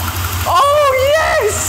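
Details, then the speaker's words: Barn-find BMW E23 running for the first time since 2001 after priming and a little throttle: catches and settles into an uneven, lumpy idle with a wavering low beat; cause not yet known. "the first time since 2001 and it runs I mean it's a bit lumpy but it runs running is running"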